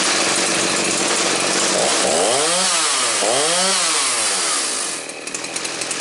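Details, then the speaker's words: Stihl 029 two-stroke chainsaw after fixing a fuel tank leak: revs up and down cleanly twice, then settles to a steady idle; has compression, cuts, runs and idles well; normal running. "Cuts really good. Runs good, idles good."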